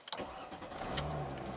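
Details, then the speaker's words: Chrysler Crossfire with a crank/no-start history and offline TCM, ESP and shifter, started after clearing DTCs. A short crank, then it catches right away and settles into a steady idle; the crank sensor is possibly fine. Normal crank and start. "Just absolutely perfect. So we might not have a problem with the crankshaft position sensor."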